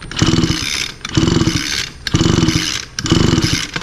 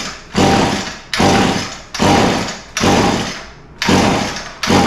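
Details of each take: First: Echo SRM 225 line trimmer with a broken pull starter that would not start: four quick rope pulls about a second apart turn the engine over but it never fires. A fast-pull timing test shows the spark way past top dead center; the coil is suspected. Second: Echo SRM 225 two-stroke line trimmer after the recoil starter was fixed and the coil replaced, started with wide open throttle and choke plus carb cleaner: eight or nine sharp pulls, then it catches and holds a steady high buzz, starting and running properly.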